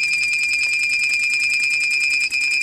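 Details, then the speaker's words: Bespoke remote kill switch on a petrol mini quad: the relay cycles the ignition on and off in an adjustable on/off ratio, a shrill high tone pulsing evenly about seven times a second, working as designed. "if we press that one you can hear what it's going to do to the ignition the Reay is sitting there turning on and off the uh off the ignition to the bike"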